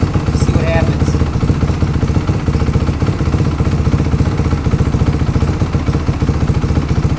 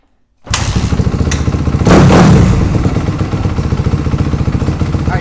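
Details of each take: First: 4-stroke MX motorcycle with FCR carburetor, adjustable fuel screw turned in from 2 turns out toward fully in (leaner): thumping idle drops, grows uneven and slower, then dies when fully in; lean idle stumble, pilot jet judged maybe a hair rich. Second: 4-stroke MX motorcycle with FCR carb, during fuel screw adjustment: engine catches quickly and settles into a low steady putter without stumbles or misses; idle mixture sounds right.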